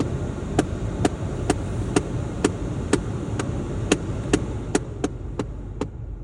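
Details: VW Golf 7 heater blower: sharp single knocks about twice a second over a soft airflow hiss, slowing and thinning out and gone when the fan is turned down; blower knocking, cause unclear.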